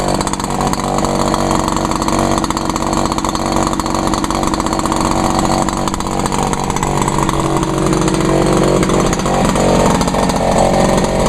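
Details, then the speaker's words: Echo PB-400E blower, unstarted since February, started in two pulls on choke, TruFuel 32:1 mix: steady, even two-stroke buzz at constant speed, no misses or surging. Normal running. "yeah this runs actually I'm running true fuel in that blower mixed at uh 32 to1"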